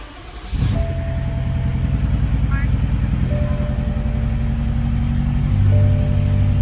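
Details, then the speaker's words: Tuned BMW X5M at about 70,000 miles with a drivetrain malfunction: new spark plugs and swapped coils did not fix it, and it idles rough and lumpy with a shaky beat, like a misfire. Cause unconfirmed. "So as you can see, that is rough idle. Car feels like you're in a washing machine as the engine feels like you're doing this. Really rough."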